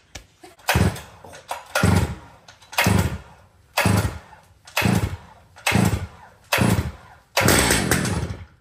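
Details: Brand-new Stihl MS 881 chainsaw with 36-inch bar and chain, freshly set up, fuelled, oiled and tuned: crisp throttle blips about once a second, revving cleanly and dropping straight back to idle; normal running.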